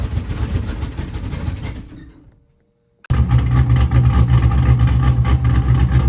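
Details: C5 Corvette after engine removal, block weld repair where starter broke it and reinstall: engine winds down, then catches at once and settles to a steady even idle of about four pulses a second; healthy start.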